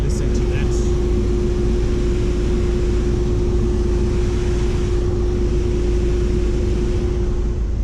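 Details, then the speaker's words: Mazda CX-5 with an aftermarket engine protection system, while driving. The cooling fans kick in hard and power is cut back to protect the engine; a loud, steady roar with a constant hum is audible from inside the car. Finding: radiator fans running at high speed. "you can hear the fans have kicked in hard let me just park on the side of the road this is how you know that it's protecting itself right"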